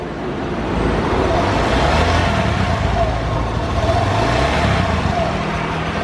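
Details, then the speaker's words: Honda BeAT scooter brought in for thick white smoke, after a loose socket was reseated: the smoke is now fine, but revs surge and never settle to a steady idle; the idle still needs adjusting. "asapnya sudah aman cuman motor ini enggak langsam Tinggal kita setting mode satu aja itu selesai"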